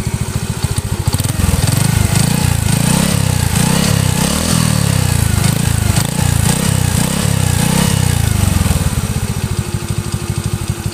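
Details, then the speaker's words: Honda Astrea Grand motorcycle engine, rough rattling idle like a cam chain noise, quieter once hot; worn piston slapping, possibly poor oiling of the piston rear; video also cites a worn piston pin. "Bisa juga karena olinya tidak mampu membasahi bagian belakang piston. Suaranya seperti ini. Ketika langsam kasar, seakan-akan seperti suara rantai api."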